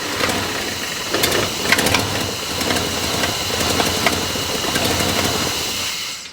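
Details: Points-ignition engine cold start, about 7 am at 71°: catches, then stumbles and hesitates with an uneven, lumpy rough idle; points dwell too low; warm idle fine at 570–590 rpm.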